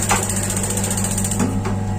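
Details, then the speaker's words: Paloma gas water heater, solenoid plunger lubricated and reassembled, water flow turned on: sharp single clicks over a steady low hum; normal igniter and solenoid clicking. "Jadi fungsi solenoida adalah ketika ada aliran air, solenoida akan berbunyi klik, terutama ketika aliran air dimatikan."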